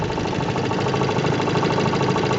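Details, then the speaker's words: 1958 Johnson CD-15 5.5 hp outboard, restored with new coils, carb kit, fuel lines and impeller, still running great in 2012; a quick, even two-stroke putter with no missed beats. Normal idle. "and here it is 2012 and it's still running great so I guess that was quite a good bargain"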